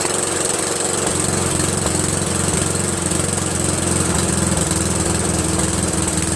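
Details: Briggs & Stratton 13hp flathead single-cylinder on an MTD Cub Cadet lawn tractor, first run after carburetor replacement; steady putter at constant speed, no misfires, surging or knocking; healthy, owner pretty impressed.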